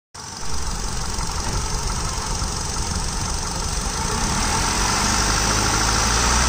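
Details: Hyundai i10 Magna at idle: fast, fairly even tick of about four per second over the engine; owner attributes it to timing-side noise and AC compressor noise, unconfirmed. Engine ticking noise.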